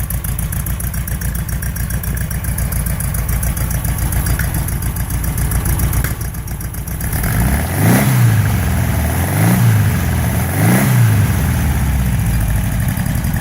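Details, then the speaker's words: Porsche 912 flat-four after rebuild (sludged crankcase cleaned, cylinder heads repaired): steady, even idle then three crisp throttle blips that rise and settle cleanly; normal idle and revving. "here it is in its completed form and it's running and sounding really nice so here we go we'll start it up for you so you can hear"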